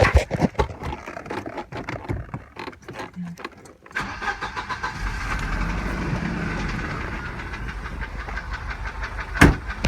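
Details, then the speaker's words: 1987 Volvo 740 Turbo four-cylinder running on three spark plugs (faulty plug wire): idles with a steady deep knock, much louder at the oil pan than the valve cover; shop diagnosed low-end piston slap, owner doubts it. "it seems like the knock is a lot louder coming from the oil pan than from the valve cover up here"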